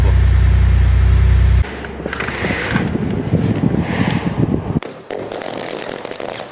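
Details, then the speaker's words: Lincoln engine shared with the F-150/Raptor, at idle. Fast uneven rattle of about four per second from the top end. Cause: VVT cam phaser locating pin worn oval, so the phaser can't lock and loses pressure. "像这款发动机也是有一个通病，像F150啊、猛禽啊也是搭载同款发动机。到了一定的公里数，它就链能容易出现异响，链能那边损坏了。"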